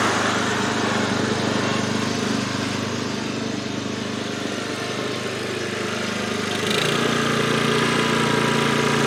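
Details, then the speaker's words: MTD Gold lawn tractor, first new aftermarket carburetor, high-speed jet adjusted to remove hunting: steady, even high-speed drone with no rise-and-fall hunting. Normal high-speed running. "all right this is running a lot smoother now"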